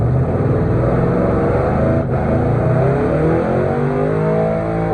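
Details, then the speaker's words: Gen 3 5.3 V8 from an 01 Silverado, ported and polished 862 heads, 550 springs, Summit stage 7 cam, during break-in: held at high revs with stuttering cut-in/cut-out, bouncing off the rev limiter. "That's how you break them in right there. You just bounce them off the limiter."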